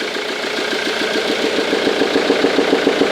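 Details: 2002 Ford Mondeo 2.0 TDCi 115 diesel at idle: sharp, even clacking about 3.5 per second, louder with the airbox removed; power loss, no smoke, starts fine; suspected intake valve not closing properly from carbon or a bent valve.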